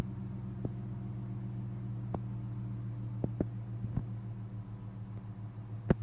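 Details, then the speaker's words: Engine after an engine flush with oil change, oil pressure 43; low steady idle drone with irregular sharp ticks and stumbles every second or so; idle rough, only slightly better, lifters suspected. "The idle smoothed out a little bit. I'm not going to say it's perfect, but it's a little bit better."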